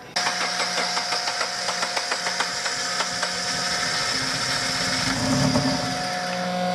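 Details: Subaru with new short block, fuel line hooked up wrong flooded the engine with gas running out the air intake, weak battery: steady rhythmic cranking, then it catches and runs rough while clearing the flood; timing corrected, no valve damage.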